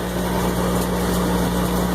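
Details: Cumberland 7.5 hp granulator, 12x12 cutting chamber, spinning empty before feeding wire: steady electric-motor hum, constant low drone, no knocking or grinding; normal no-load running.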